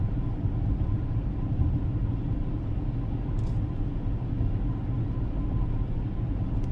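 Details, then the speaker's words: 2014 Ford Escape 2.0 EcoBoost 4WD with a 6F35 transmission, driving at cruising speed: a deep, steady howl over the road rumble from a worn front right wheel bearing, with lighter rotational noise from the rear right bearing. "i can already hear the front right wheel bearing howling and the back right both of them are making rotational noise and these are notorious for bearings going bad"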